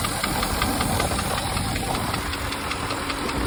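Steady idle with a sharp metallic tick repeating about two to three times a second over the engine hum; a knock from inside the engine.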